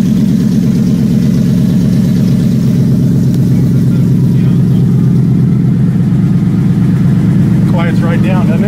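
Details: Factory Five Mk4 just after first start, coolant coming up to 102 degrees: deep, steady V8 idle with an even, unbroken rhythm and no knocks or misses; engine sounds healthy and settled.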